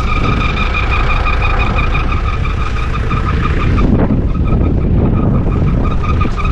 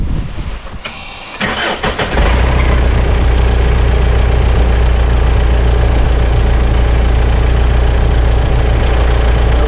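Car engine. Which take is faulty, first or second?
first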